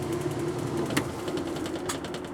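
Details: Kenmore washer, stopped halfway through wash cycle after sitting about six months, running after broken lid switch was bypassed: steady motor hum with light, even mechanical ticking, no grinding or straining; running smoothly.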